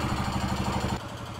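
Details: Cub Cadet 149 with Kohler K-series single, warmed a few minutes, revved: light rapid chatter increasing with rpm, fading as revs drop; sounds top-end, owner suspects valve wear since an intake valve clearance was short.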